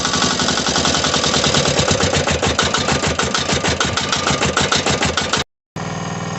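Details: Mini digger diesel with a non-start and suspected lazy starter motor: rapid, even clatter at about three beats a second, steady and strong; engine has caught and runs cleanly.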